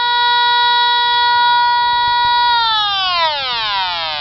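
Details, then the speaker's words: TIF 8900 combustible gas detector moved up the furnace gas line in an HVAC closet: a loud steady high tone at the top connection, where it is maxed out, pitch sliding down as it moves away. Gas is leaking at the upper fitting; the lower connection is normal. "And as we travel up towards the top connection, it is maxed out."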